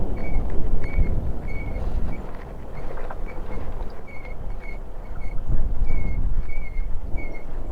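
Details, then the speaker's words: Honda Highness CB350 in Spiti at high altitude, engine off and coasting to locate a noise present since new: short high chirps at about wheel rate over strong wind; service center says brake noise, likely a light brake squeak, unconfirmed. "और ये आवाज़ मेरे को starting से आ रही है bike में। जब मैं अपने फर्स्ट राइड पे गया था तब भी मैंने ये फॉल्ट फर्स्ट सर्विस से पहले ही मैंने अपने जो सर्विस सेंटर गाज़ियाबाद में वहाँ पे बताया था मैंने, तो उन्होंने बोला ये ब्रेक की आवाज़ है।"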